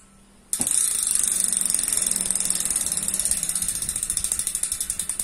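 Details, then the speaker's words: Cannondale rear hub after the freehub was converted to bearings, cleaned of the grease-oil fill that silenced it, with a new spring fitted: crisp, even ratchet clicks that slow as the wheel coasts down. Smooth, healthy freehub. "Beginilah, kita akan mencoba memutarnya, dengarkan suara renyahnya ."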